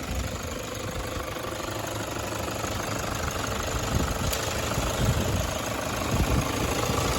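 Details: 2009 Toyota Hilux 1KD-FTV D-4D diesel, 218,000 km, after replacing one faulty injector and pipe: quiet, even idle with a soft steady clatter and no tapping or stumble, engine cover off, air-con cycling. Normal idle after repair.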